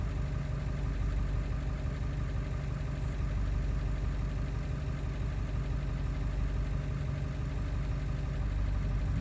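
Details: Ford 7.3 diesel running after ICP sensor replacement, still not running well: deep idle with an uneven, lumpy beat about three pulses a second that never settles; rough idle, cause not found.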